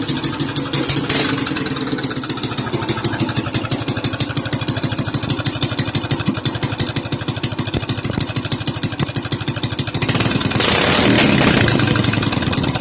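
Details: Honda GX200 clone (Predator 212 type) single-cylinder fitted with a variable-timing plug-and-play CDI kit: crisp, even firing at fast idle, climbing cleanly when revved, no misses; sounds like a GY6, normal.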